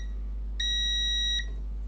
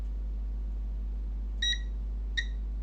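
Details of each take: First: Toshiba Satellite P850-31L laptop motherboard with charging fault and power cutting off, continuity test between pins: steady high beep under a second over quiet hiss; meter shows a short between the pins. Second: Toshiba Satellite P850-31L laptop motherboard with charging fault and power cutting off, power disconnected, continuity test across pins: three short high beeps over a quiet hum; pins connected together, which the technician says shouldn't be.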